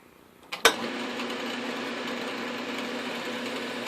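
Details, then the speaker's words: South Bend 9x24 lathe pulley being turned on an arbor: one sharp clunk over an even lathe hum, then a steady run, as the pulley shifts and loosens on the arbor while the work warms up. "oh cool so that's that sound the pulley moved on the RV ah so as the work is warming up the pulley is moving"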